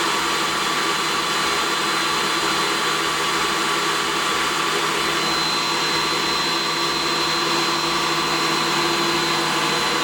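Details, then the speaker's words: DeWalt 735 planer retrofitted with a helical spiral carbide cutterhead, taking a decent cut: a steady, even high whir with constant tone and no thumps or chatter. It runs exceptionally smoothly under load. "this one or the DeWalt runs exceptionally smooth even when doing a decent cut"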